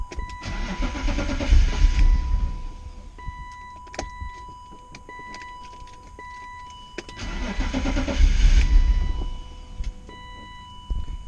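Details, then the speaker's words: BMW E36 M3 just fitted with a new fuel pump: cranks, catches and runs a couple of seconds, then dies, twice, with a door chime; priming fuel pressure only 10 psi instead of 40, owner suspects filter or regulator. "starting but it's not staying [Music] it goes and then it stops i don't know why so it turns out i wasn't getting enough fuel pressure during priming it's supposed to be 40 psi and i was only getting 10"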